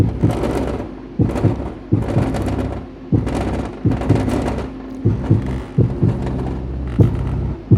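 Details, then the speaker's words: Kicker CVX 15 subwoofer after epoxy repair of a rattling voice coil and resoldered terminals, low power test: clean round bass thumps with no buzz or rattle; voice coil repair successful. "whatever i mean even at this low volume when i had it hooked up you'd hear the voice core rattling like crazy and fortunately i don't hear any rattle at all good"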